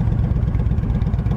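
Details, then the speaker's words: Used 2007 Yamaha V Star 1300 V-twin, 24,989 miles, just after start: deep loping even thump at idle, no rattling, ticking or engine noise, no smoke; healthy idle. "Don't hear any kind of rattling or engine noise, no smoke. Got a nice little thump to it."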